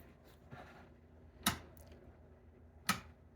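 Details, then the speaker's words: Alien Poker pinball machine after replacing the fuse on an aftermarket fused rectifier board; before the fix a huge noise sounded at every power-on. Now a quiet power-up with a soft hum and two relay clicks about 1.4 seconds apart. Normal boot. "Wow. So before, every time you turned it on, it was like something would make this huge noise. Now there's no noise at all."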